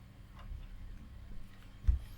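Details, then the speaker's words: DEA K-15A full-range active speaker amplifier, powers on but no audio: one soft click about two seconds in over a faint hum as the speaker protection relay pulls in at switch-on. "so the relay the protection relay is actually clicking you can hear it yeah I think you can probably see it as well"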